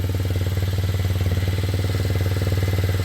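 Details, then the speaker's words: Kymco Zing 125 single-cylinder scooter after running issues were sorted, before a pre-MOT test run: steady, smooth, clean idle around 160 beats a minute, possibly a touch high; to be readjusted. "Idle might be a touch high, but I'll readjust it when I get back."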